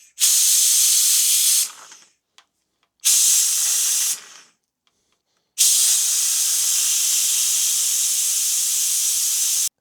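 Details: Vacuum extractor sucking old brake fluid from the reservoir of a classic Honda CB750 during brake service: strong, even air hiss in steady bursts with no sputter; working normally.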